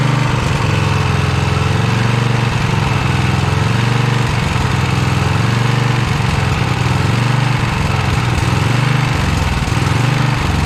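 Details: 1982 Snapper Comet riding mower, 8HP Tecumseh engine: loud, steady high-speed running with slight uneven surge; only holds at full throttle, needs carburetor adjustment.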